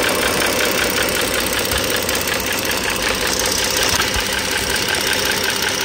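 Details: 2009 Dodge Journey SXT V6 (3.5 L stated, title says 3.6 L) idling, mic near the engine: light, fast ticking two to three clicks a second, valvetrain tick. Owner is pretty sure the rocker arm assembly needs replacing, likely not pistons or transmission.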